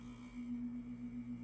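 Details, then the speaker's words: RCA SelectaVision CED videodisc player spinning side 2 normally: steady low constant-pitch hum like a microwave oven running; this disc was stored laying flat. "mean, hear this thing. It sounds like a microwave going."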